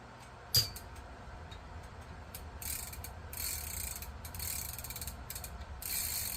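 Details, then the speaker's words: Vintage D.A.M. Quick 220N fishing reel during repair reassembly (wavy washer and nut refitted, before greasing worm gear): handle turned gives even fine ratcheting clicks, no grinding; smooth and normal. "that sounds good. It's nice and smooth."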